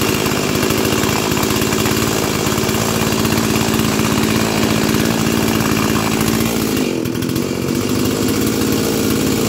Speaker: And I did already have it running, and I tuned up the carburetor. So that's not going to be in this series of videos, but here it is. The rescue from the junkyard. Let's fire it up.